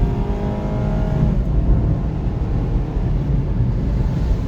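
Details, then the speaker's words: 2009 Honda CR-V, 208,391 miles, which went into limp mode at high rpm (VTEC solenoid blamed), road test after oil change: smooth steady pull under load on the stretch where it failed before, no cut-out; clean acceleration, considered fixed. "I guess it's fixed that's very nice I mean we got clean acceleration it just goes and goes and goes"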